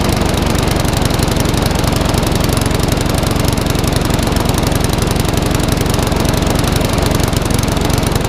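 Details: Classic Briggs & Stratton 3.5 hp mower (red one) just started after servicing, previously tipped on its side with fuel over the carburetor: steady even chatter at low constant speed, slightly lumpy; owner may change top governor spring.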